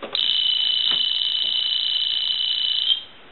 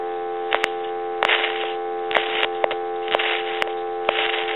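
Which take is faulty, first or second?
second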